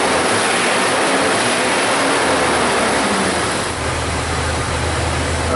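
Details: 2000 Jeep Cherokee Classic, 4.0 straight-six, about 130,000 miles, after repair of a single-cylinder misfire with the check engine light on: a steady, even idle with no skips, and the misfire monitors read zero; normal idle.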